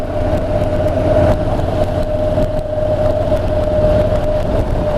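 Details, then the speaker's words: Honda NC750X DCT ridden around town, probably in fourth or fifth gear: a steady mid-pitched whine holds over the road roar. It is an annoying tyre noise from the front tyre. "can hear that tire noise at the front it's very loud what's not very loud but it's annoying"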